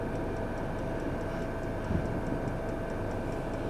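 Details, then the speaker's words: Chinese night heater in a camper van at full power, temperature climbing toward about 250–260 degrees; light, even tick about three times a second from the dosing pump over the fan's rush, normal. "and This Is It On full power oh that's lovely"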